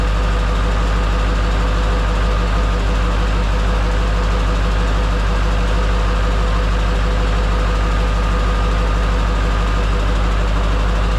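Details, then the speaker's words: Duramax diesel in a C10 after fitting a used replacement injector: loud idle with a steady lope about three beats a second, uneven firing suggesting misfire; cylinder 3 cutout changes nothing, owner suspects a second bad injector, unconfirmed. "As you can probably hear, it's the same thing. What are the chances two injectors both being shot? Still number 3, like when I do the cylinder cutout, cut number 3 out and it doesn't really do anything."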